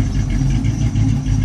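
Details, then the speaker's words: 1980 Zephyr revived from the field, idling and revved with the mic down near the exhaust: low, uneven puffing pulse on the exhaust note; owner suspects a leaking H pipe near the cat. "So I think the H pipe's leaking, like where the cat is, so that H pipe's probably done."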